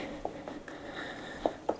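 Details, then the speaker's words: Bladetech blades fitting loosely in True TF7 skate boot holders: faint, irregular plastic-and-metal clicks in a quiet room as the blade rattles and shifts with play in its holder. "I'm trying to, you can hear it rattling around. It's just not very solid in there."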